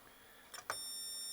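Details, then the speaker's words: HP 3312A function generator (early 1990s) that suddenly blew its mains fuse: short click, then the meter's steady high continuity beep across the positive supply rail, showing it shorted to ground; a failed tantalum capacitor is suspected, transformer fine. "It's just shortened. So I don't believe all of them. I suspect one of the tantals is shot, as usual."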